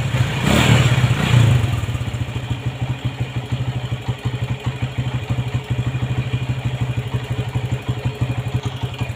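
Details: Honda MegaPro modified CB-style, kick start kicks back, dies when throttled: revs rise then the single stutters into uneven, choppy beats, cutting in and out; ignition cutting out.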